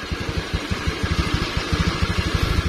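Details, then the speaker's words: Honda Vario scooter whose starter only clicked despite a new battery, after rewiring the starter (red and yellow wires): steady, even putter at idle with regular low pulses, no misses or knocks; engine running cleanly. "Oke jadi Sudah langsung bisa bunyinya seperti itu ya temen-temen"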